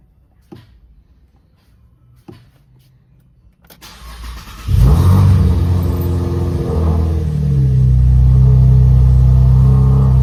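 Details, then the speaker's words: 2013 Camaro RS just after fuel pump replacement, battery reconnected: a few clicks, then cranks, catches and settles into a steady even idle with no stumble; starts normally. "So now I'm gonna connect the battery and turn on the car, pump some gas. It's a new fuel pump, and let the gas just flow through, and then give a couple of pumps and then start it up and go for a drive."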